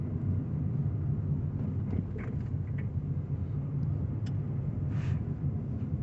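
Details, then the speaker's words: Car driven over speed bumps after lubricating dried, cracked anti-roll bar bushes as a temporary fix: steady low road rumble, with the earlier creaks, squeaks and crunches completely gone. Worn bushes and shock absorbers still need replacing; the suspension is now quiet. "a lot more speed bumps coming. What a difference that makes. It's like 100% gone."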